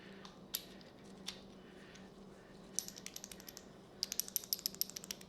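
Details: Failed plain (non-AFM) lifter from a GM L83 out of a 2018 Chevy 1500, about 116,000 miles, which logged a cylinder 3 misfire: roller turned by hand gives rough, uneven clicking and ratcheting; roller side destroyed, condemning the engine.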